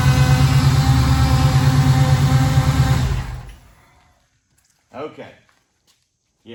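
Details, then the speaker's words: 1953 Ford pickup with small-block Chevrolet V8 idling: steady beat under a coarse, constant droning growl from the power steering pump due to excessive flow, before fitting a flow-restricting fitting as the fix. "so the gentleman that brought us his truck bought the truck for his wife and now i can understand completely why she doesn't want to drop it it sounds absolutely horrible"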